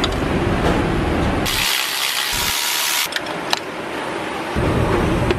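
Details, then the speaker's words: Very low-mileage Toyota Corolla running: a steady, rhythmic coarse low rumble with a brief hiss. Worn water pump bearing, not the internal engine failure other garages quoted. "there's a certain rhythmic rhythm of that type of noise you're gonna hear I always like to start on the back side and you can definitely hear a noticeable rumbling"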